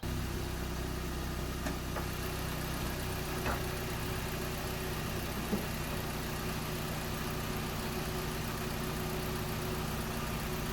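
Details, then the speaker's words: Engine idling during a pre-MOT check with the brake pedal depressed to check for vacuum leaks: steady, even idle with a smooth hum, no air hissing or misses; running fine, no vacuum leak. "so this engines running fine yeah any air hissing anywhere"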